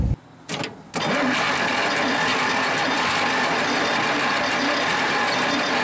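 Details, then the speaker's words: 1947 Worthington tractor with a Chrysler industrial 218 flathead six, sitting for decades: the starter cranks steadily but it won't catch; low compression suspected from sticking valves. "Okay, folks, we're having trouble getting this thing started. I don't think we've got enough compression."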